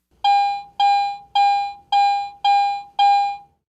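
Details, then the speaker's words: Garrett AT Pro metal detector in standard mode: six clear, bright beeps about half a second apart, its high tone of three (low, mid, high) for a target by metal type and conductivity. "a target based on its metal type and its conductivity is simply reported by one of three different tones a low tone mid tone or a high tone"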